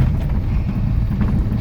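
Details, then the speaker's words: 1967 Alfa Romeo Giulia Super with a newly installed 1600 Nord engine, creeping in first gear down a steep gravel driveway: a low rumble with faint irregular knocks. The suspension rattles from somewhat worn ball joints on an unmodified suspension. "You can hear the suspension rattle a little bit. We haven't modified the suspension on the car at all. Some of the ball joints are a little bit worn, but the car handles fairly well, and we'll need to get onto that at some stage."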